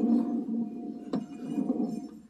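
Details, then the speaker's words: John Deere Z915e mower deck with 622 hours, belt removed: hand-spun pulley gives a rough, gritty whirr with a sharp click before coasting down, a badly worn bearing with play; spindles and idlers bad, possibly from lack of greasing. "that one sounds bad bearings you want to get the belt not touching it because i can just spin that i can hear that one that one's real bad"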